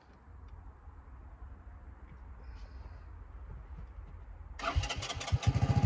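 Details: 1984 Honda ATC 200M three-wheeler barn find, revived after 30 years and parts replacement, choke cable off so choked by hand, needs fine tuning; single fires, catches cleanly and revs with crisp even beats, runs like a charm.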